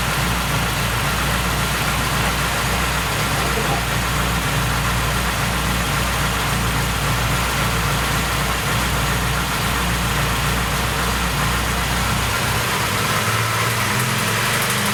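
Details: Car with January 7.2 Euro 2 ECU, no stored faults, coolant 82°C, idling rough when cold: steady idle with light metallic chatter from the engine front; timing chain rattling, before valve adjustment.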